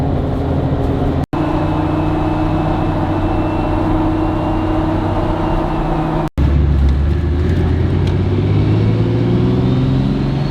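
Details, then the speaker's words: Pickup with loud G56 manual transmission, after switching from Royal Purple to Hot Shot's Secret Diamond G56 fluid: steady diesel drone while driving, only faint gear whine, no gear rattle; gears heard and felt less, smoother, reduced noise and vibration. "you don't hear the the gears grinding as much right you don't hear the gears and you don't feel the gears cuz before I felt like not only could you hear the gear roll over you can feel it so it is definitely smoother and it definitely reduces noise and vibration"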